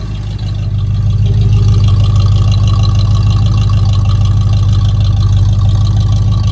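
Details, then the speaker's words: Chevy C10 rebuilt 350 V8, warmed up in the shop: deep even rumble, steady loping beat, no knocks or ticks; strong healthy idle. "But I'm telling you, this little 350 got some oomph behind it."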